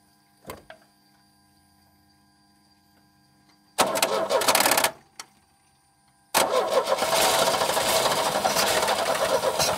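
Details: 1989 Chevy S10, 2.5L Iron Duke four-cylinder, abandoned about 22 years, on a fuel tank with loose distributor-cap lugs: short cranking bursts catch and stumble into a ragged sputtering run; super dirty inside, tons of fuel getting in, MAP sensor unplugged, possibly flooding.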